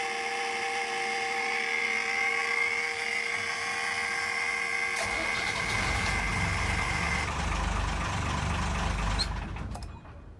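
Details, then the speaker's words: Ford Lehman 120 diesel with intermittent starting, worse with engine and transmission warm; after terminals and screws were sanded clean and coated in dielectric grease, it cranks, catches cleanly and settles into a steady idle before shutdown. "I cleaned them up with some fine grit sandpaper and then I bathed everything in a dielectric grease and reassembled and now all as well engine starts"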